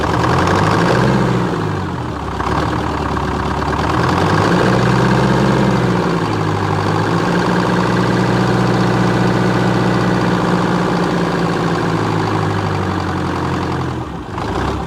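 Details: 1978 Chevy Bruin, 8V71 Detroit two-stroke diesel, cab off, first start after fixing no-start issues, no coolant: loud steady drone with high blower whine rising and falling with small throttle changes, settling evenly; normal idle.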